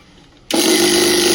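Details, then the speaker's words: Preethi Galaxy mixer grinder with fire and smoke complaint, run plugged directly into mains; sound unusual, sparks seen at armature: harsh hissing crackle over steady motor hum on start — armature arcing. "உங்களுக்கு இது வந்து armature வந்து start ஆயிருக்குது. கழட்டி பார்க்கலாம். உங்களுக்கே தெரியும் தீ எப்படி வருதுன்னு. தீ வந்து ரொம்ப ஓவரா வருது."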